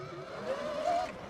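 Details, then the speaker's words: 2026 Tork Pro Sport electric dirt bike (72V 45Ah battery) pulling away in mode 2 warming up: thin howl rising slightly in pitch, like wind howling; motor/drive whine, cause unclear. "Yeah, just gonna warm up a little bit, see how it feels. Kind of makes weird, kind of like wind howling kind of noise."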